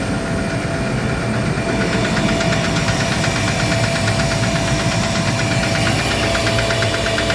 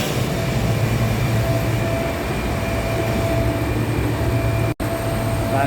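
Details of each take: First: Gardner Denver screw air compressor on load, steady drone with fast, even knocking, before repair; knocking caused by a defective pressure valve, fixed by replacing the valve. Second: Gardner Denver screw air compressor on load after replacing defective pressure valve: steady low drone with faint constant whine, no more knocking; running normally.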